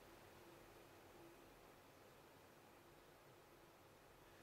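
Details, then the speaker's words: Enermax Aeolus laptop cooler, 25 cm fan set to maximum speed: quiet, steady airy hiss with no whine or rattle, quieter than the laptop's own fan at maximum; normal full-speed running. "donc là nous avons réglé le ventilateur à sa vitesse maximale il s'avère que le bruit est largement supportable en définitive il est inférieur à la ventilation maximale euh de notre au bruit dégagé par la ventilation maximale de notre ordinateur"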